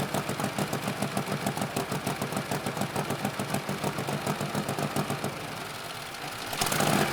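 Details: 1948 Harley-Davidson Panhead V-twin, first start after sitting years, fresh gas, oil, new battery, started first kick, warming up: even loping beat about three and a half firings a second, steady; healthy idle.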